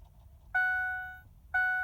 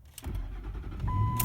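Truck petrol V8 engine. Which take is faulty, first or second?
first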